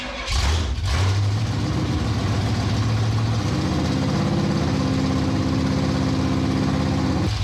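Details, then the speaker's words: 1967 Pontiac Firebird V8 after decades sitting, timing reset near 12°, new plugs and plug wires: firm, even idle with no stumbles or misses, misfire gone; distributor cap likely earlier problem. "what do you think I don't hear the mying no more no it's running good running real good"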